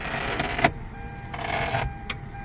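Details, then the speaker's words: 2006 Hyundai Santa Fe with a no-crank, no-start fault and no DTC, during which the power windows had also stopped working. After the electrical fault was corrected, two short, smooth window-motor whirs start and stop cleanly with no grinding; the power window motor operates normally. "Power window check करते हैं power window अभी कम करना शुरू करेंगे"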